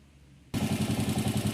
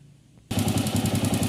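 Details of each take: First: Honda CG 125 single-cylinder that had loud top-end tapping worsening with revs from wear, after the repair: even steady idle beat with no tapping; normal idle. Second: Honda CG 125 pushrod engine running with a bolt loosened for the test: sharp, fast, even tec-tec knock on every firing pulse, worse with throttle; customer thought valve noise, but it's rocker arm side play on worn washers.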